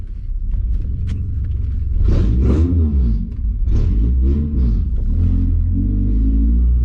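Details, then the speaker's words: Honda Accord CD7 with H22 engine swap, started after swap work: deep steady idle rumble rising and falling smoothly with a few revs, no knocks or rattles, running much smoother and quieter than before, normal engine running. "Oh, she sounds so much better, dude. I'm surprised it even held an idle like that before, dude."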